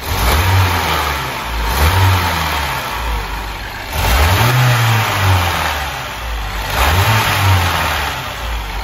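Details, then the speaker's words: BMW 116i with the N13/N18 engine and low oil pressure, revved repeatedly: rough, uneven running on each climb from a misfire that is worse when hot; a cylinder head problem is suspected. "of the father, you definitely hear the sound, there is such a misfire in its operation, it is more effective when it gets hot."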